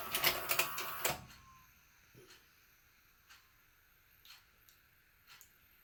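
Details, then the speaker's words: JVC HR-S3500U Super-VHS VCR, bought in 1998 and about 25 years old, after the old grease was cleaned off and fresh grease applied: a brief clatter, then light ticks as the tape loads quietly. Normal tape loading. "now that it's in this position I can just put just a little bit right there does sound quiet I have to go back and compare them"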